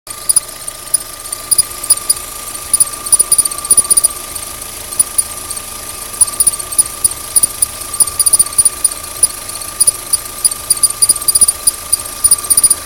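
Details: Opel Z16XEP engine running: steady thin high squeal with light irregular chirps from the belt drive, cause unclear; belt squeal.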